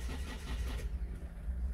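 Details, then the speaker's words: 2007 Citroën C4 1.6 HDi 90 hp (9HX), no DPF, code P2670. The starter churns low and even but the engine never catches; scan data shows zero rpm. A fault is suspected on the sensor supply or harness. "vous voyez le régime moteur ne monte pas l'impression du carburant un logo monde mais régime moteur et montrent pas"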